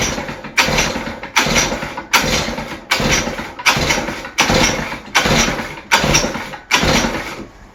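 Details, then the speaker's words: West Bend 580 two-stroke engine that sat for months, after carb and reed valve cleaning, new gaskets and new starter cup and dogs, choke off, mix screw 2 turns out: idle note swelling and dropping about once a second, running on its own. "Alright guys, finally this engine is running again and idling. So I guess cleaning the carb and the reed valves did the trick."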